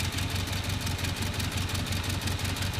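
Cold idle with a lumpy, uneven chuff about three times a second, one cylinder missing its beat; dead cylinder, low compression.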